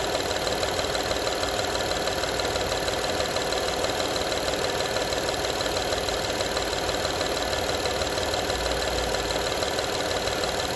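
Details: 2012 Honda Odyssey engine at steady idle: light, fast rattle of about three taps a second over the engine; engine rattle at idle, source needs tracking down.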